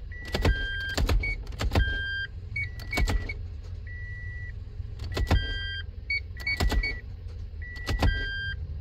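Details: Toyota MMT (Aisin semi-automatic gearbox, P0810) clutch actuator after clutch replacement and grinding of the bush, real-time test: evenly spaced clicks, short motor whirs and electronic beeps, no grinding; clutch pulls very easily, actuator working normally.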